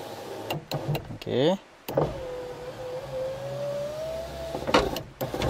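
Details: Ford Ka passenger power window that makes a bad noise going down and sometimes won't go back up: motor drones about three seconds, pitch creeping up, with clunks at start and stop. Something is rubbing or vibrating inside; cause not yet found.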